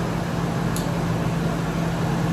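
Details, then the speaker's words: 1998 Ford Expedition, ex-police, about 151,000 miles, chasing P0401/P0402/P1401 codes: with vacuum applied to the EGR valve at idle, the idle lopes and stumbles unevenly as exhaust gas floods the intake. EGR valve opens correctly. "All right, so this now has a little bit of vacuum on it. So what it's going to do is it'll probably partially open that EGR valve. So it's going to start running really rough."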